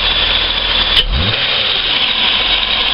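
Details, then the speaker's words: After throttle body and idle speed control valve cleaning, one throttle blip and revs fall straight back to steady idle with no dip or hunting; idle slightly high since ECU sees engine as cold; normal. "hear that no dip in the throttle when you when you blip it and let it go so everything's working as it should it's still idling slightly higher than it should because it's still effectively a cold engine"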